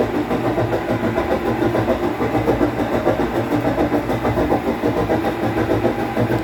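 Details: 17 kg Whirlpool washing machine leaking water from the bottom, heard during spin: a loud, rough rumble with a steady throb, because the transmission bearings got wet.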